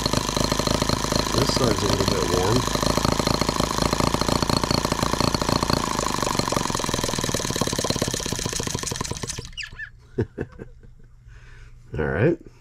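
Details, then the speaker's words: Microcosm H76 twin-cylinder model engine after valve lapping, new rings and design mods, switch on, low speed: catches and runs busy and uneven, stumbling as one cylinder drops out, running on a single cylinder before stopping. "Hear it missing again? Down to one cylinder."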